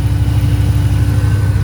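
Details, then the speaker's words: Range Rover P38 air suspension (EAS) with freshly rebuilt valve block, engine idling: compressor running with an even, steady low drone, refilling the tank after it dropped from 150 to about 90 psi reaching access height; operating normally. "you can hear it clicking in here see how much air that it's taken from the tank while it does its thing"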